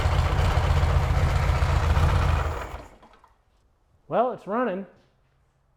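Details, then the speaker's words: Dune buggy bought for $650, first run after jump-start, timing possibly set wrong: rough loud running with an uneven knock about four times a second, then the engine dies; knocking, dirty oil, cause unconfirmed. "definitely need to do an oil change though cuz it's knock on Heaven's Door just begging to come in"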